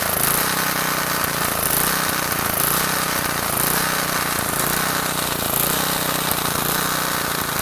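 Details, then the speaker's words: Garage-sale gas edger small engine after carburetor cleaning and backing out the fully-in fuel-air mixture screw: buzzes along at steady high speed with a coarse rattle, no stalling or surging; still needs fine tuning. Running properly. "All right, she's running. Whew. Took a little while."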